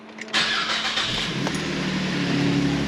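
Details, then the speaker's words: 2010–2014 Cadillac CTS petrol engine after alternator replacement, still on jack stands: short crank catches at once and settles into a smooth, steady idle with no weird noises; check engine light goes off, repair successful. "We'll listen for any weird noises. It sounds good. Successfully done."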